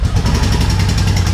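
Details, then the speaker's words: V-twin motorcycle sat about a year on old gas, pod filters, barely running on full choke: deep lumpy pulsing idle with missing firing; rear cylinder hot, front cold as ice, running on one cylinder. "It sounds like it's running on one cylinder. I can tell which one it's running on by whichever one gets hot. This rear one is the one that's running. This front one is cold as ice."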